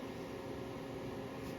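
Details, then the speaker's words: Tripp Lite Smart LCD 1500 UPS after battery replacement, powered up: steady soft fan whoosh with faint hum, no rattle or whine; cooling fan running normally. "looks like it's up and running can hear the fan"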